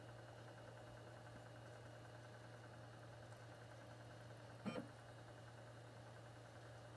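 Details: Xbox One with a strange internal noise: steady low hum with a faint whirring drone and one brief clack, slowly dissipating until gone.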